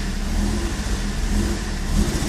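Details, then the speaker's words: M42 petrol engine on a warm restart: it starts at once, then after a few seconds sputters and stumbles at idle and with light throttle, returning to normal after about 20 seconds. Cold starts run fine. Owner suspects a dripping injector. "wanneer start spring mooie aan waar ze komen gaat die pruttelen beetje gas geven en nou gaat ie dus pruttelen"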